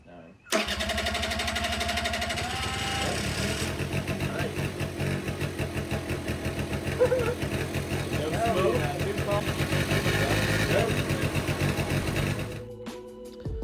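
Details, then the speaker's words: 1985 Honda Aero 80 scooter, sitting about 40 years, being revived: engine loosely refitted to frame, brief starter whir, then the small single catches and settles into a quick, slightly uneven putter; first start, engine runs. "Kind of loosely put the whole engine connected back to the frame. I'm going to try and crank it here and see if it'll turn over."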